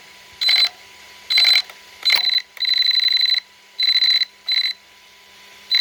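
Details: ARRMA 1/8 Kraton 6S BLX brushless 4WD RC car: short bursts of shrill steady high-pitched whine coming and going with throttle; loud noise from motor or ESC, source unclear.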